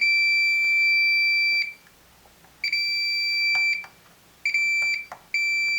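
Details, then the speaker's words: Samsung PN51D plasma TV with no power and relay clicking: multimeter continuity test on a diode on the Y main board gives long steady beeps with leads both ways, showing a short; Y main board faulty. "so that means that there's a a short we reverse the uh the leads yeah and inde there there's a short"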